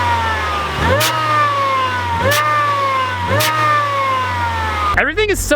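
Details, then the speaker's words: Supercharged Miata with relocated throttle body and blow-off valve plumbed to the intake manifold: loud supercharger whine sliding down in pitch as revs fall, with sharp hissing blow-off vents on lift-off; normal. "if you ever wondered what a supercharged Miata with a blow-off valve sounds like that's what it sounds like it's really weird due to the fact that we move the throttle body the supercharger whine is really loud"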